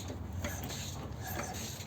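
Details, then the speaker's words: Lexus RX350, engine off, timing chain turned by hand with the faulty right-bank VVT-i cam phaser: irregular sharp clicks and snaps as it flicks back and forth, lock pin not holding at all; phaser rattles at startup. "смотрим когда крутим неработающий фазовращатель смотрите как обстреливает вот на правой зала велики вообще не держит"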